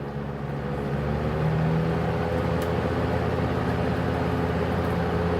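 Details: GE W-25 electric fan, reassembled with its plastic blade after maintenance and a new cord: a constant low hum and airy whoosh with no scraping or rattle. The fan runs smooth and healthy.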